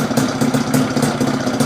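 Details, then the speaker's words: Fiz R two-stroke after reed valve (membrane) repair, previously weak on throttle; block porting said to be wrong so engine sounds rough: quick, even putter about five beats a second, holds steady without dying; normal idle. "tapi untuk mimbran sudah aman untuk stasionir pun juga sudah enak ini gak matian sudah bisa lamsam sudah bisa lamsam walaupun bunyi mesinnya kayak gitu"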